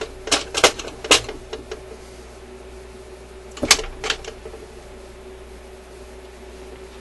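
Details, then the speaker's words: Admiral suitcase record player changer after cleaning and de-oiling sticky mechanism parts: crisp clicks and clunks as it cycles, each falling cleanly into place; normal record changer operation. "but mechanically this thing is working really really well really well so quite happy with that"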